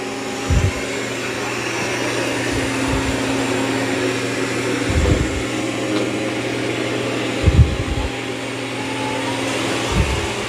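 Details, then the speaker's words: Dreame X40 Ultra robot vacuum (12,000 Pa) vacuuming carpet with mop pads removed, suction boosted on carpet detection: loud, even suction roar with soft bumps; running strong and normal. "Now it will increase suction also when it senses it's on carpet. Now the X40 has the highest suction of all three. It's got 12,000 pascals. Wow, doing a great job on this carpet."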